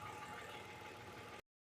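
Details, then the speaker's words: Hyundai Veracruz returned with a system-too-lean code after ignition coil, spark plug and one intake gasket replacement; during brake-cleaner spray test the idle stays steady and even, no popping, RPM change or misfire; normal idle. "so so so far right now um I don't hear anything popping noise a change in RPM which is good and I don't have misfire here"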